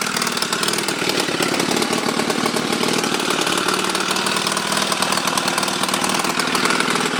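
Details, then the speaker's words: Chinese Honda Rebel 250 clone, 250cc single, after rewiring: runs fast with a sharp raspy ticking puff on every firing. Exhaust leak at the port, left unfixed because the engine's screw holes are broken. "It has some exhaust leaks but I couldn't fix it because the screw holes in the engine were broken."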